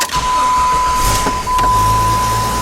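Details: Jeep 4.0 engine: steady, even starter whir with no grinding or clatter, then the engine catches and settles; healthy cranking from earlier, before the engine developed a severe noise and later blew up.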